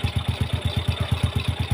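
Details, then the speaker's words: Yamaha Jupiter Z motorcycle, previously harsh knocking clutch noise, after adding a ring to the clutch and fresh oil change: steady even low thump about eight per second with no knock; engine smooth again, slight exhaust leak remains. "Dan ini saya hidupkan. Teman-teman bisa perhatikan ya suara si mesinnya. Nah, kan si motornya itu kembali adem ya, Teman-teman."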